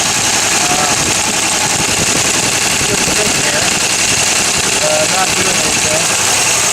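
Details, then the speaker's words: GMC truck with sticky valves, an hour later: a loud, uneven idle with a hollow, off-beat stumble. It runs on five cylinders, with a stuck intake valve and that pushrod removed while the gummed intake valves are cleaned. "well it's like an hour later and you can hear I'm running on five right now"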